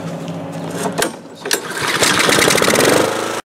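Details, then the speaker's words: Honda-engined mower that was surging/hunting, after carburetor cleaning and reassembly, cleaned spark plug and non-ethanol fuel, choke on: a couple of pulls, then it catches and settles into a quick, even putter without hunting; warmed up, clean start, sounds good. "I got it warmed up and running ok sounds good"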